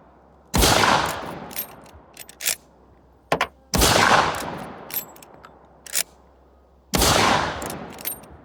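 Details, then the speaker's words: Miroku Winchester 1886 rifle in 45-70 Government after firing pin modified and rebound hammer repaired: three sharp clean reports about three seconds apart, no misfires; action now firing reliably. "This one too, I had to modify the firing pin a little bit, make it work better, and uh fix the rebound hammer [ __ ] And it's been firing flawlessly."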